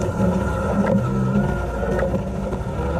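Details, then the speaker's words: Fiesta ST150 track car at an autosolo, driven hard: a steady, piercing whine over the revving engine. Engine heat cooks the fluid, which blows out of the reservoir on top, leaving no power steering. The fix is relocating the reservoir. "you don't have any power steering and you get this horrific whine. I've actually got some footage which you've just seen from me doing an auto solo and you can hear the whine in the background of the footage."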